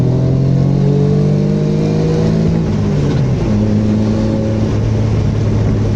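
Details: Mitsubishi Magna 6G72 DOHC V6 after misfire was fixed, smooth even note climbing and settling through the revs with no stumble or skip, running cleanly.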